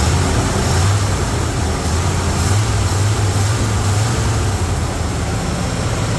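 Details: Classic truck V8 idling after exhaust manifold work, which seems to have fixed the smoke, though the gas is probably toast. It idles with a deep, steady rumble and no ticking, puffing or misses, running like a sewing machine.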